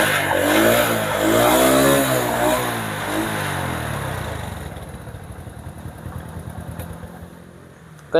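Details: Honda Supra that would not start on the electric starter but ran on the kick starter, with a non-original third-party part fitted; after charging the weak battery it starts, revs up and down, then settles into a steady idle. The pulser was blamed.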